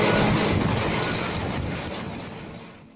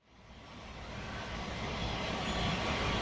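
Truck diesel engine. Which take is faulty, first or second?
second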